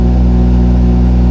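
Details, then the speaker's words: Crash-damaged BMW M240i with performance exhaust, cold start after jump pack: deep, loud, even idle with a steady low rumble and no misses, knocks or ticks; engine running smoothly. "yeah that sounds good oh my God and it's so loud with the and performance exhaust oh my God yeah this is amazing it sounds very smooth which is what we like"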